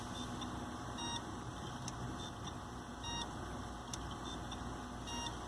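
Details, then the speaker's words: Failing Hitachi hard drive in a Linux mdraid RAID1 array during drive replacement, rebuild speed dropping in and out; companion Western Digital of similar age still works: short high beeps every second or two over steady hum, failing-drive alert. "Yeah, the Western Digital down there still works, but this Hitachi is starting to die."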